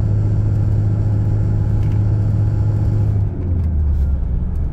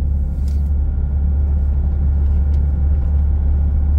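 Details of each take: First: Toyota Hilux 2.5 2008, 284,000 km, at a steady 50 km/h before repair: deep steady driveline rumble, heavy low drone shaking the cab; worn propshaft universal joint, also causing bearing-like noise at 80 km/h. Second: Toyota Hilux 2.5 with 284,000 km, driving at 50 km/h after the service: an even, steady low rumble with no beat, shudder or thump. The whole truck previously vibrated at 50 km/h; the driveline now sounds smooth.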